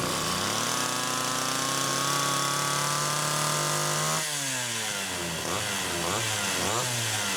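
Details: Rebuilt Homelite Super XL carburetor no. 3, fitted with a new pump diaphragm, test-run with the throttle worked by hand after the linkage slipped: steady high two-stroke buzz, then quick blips rising and falling cleanly; runs and idles normally, idle speed adjusted.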